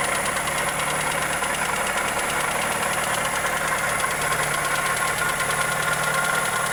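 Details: Toyota Corolla EE90 with 2E engine at steady idle: light, fast ticking riding on every engine beat; valvetrain or connecting rod suspected, cause unconfirmed.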